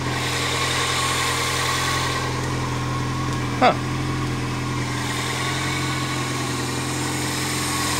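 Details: 1999 Toyota Corolla 1.8 at idle just after fixing the power steering pump pulley knocking: steady, even idle hum with no squeal or whine from the belt drive, one brief click midway; engine sounds healthy.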